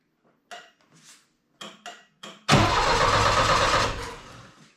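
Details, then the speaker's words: Saab Sonett cranks with a few quiet knocks, then about two seconds of even cranking that never fires; coil sparks and points work, but spark goes into the distributor and not out, same on three different distributors, suspected faulty rotor. "really what we found out is uh it gets power to the coil the coil Sparks so the points are coming in and out but for some reason even with this distributor we've tried three different distributors now and this one has t"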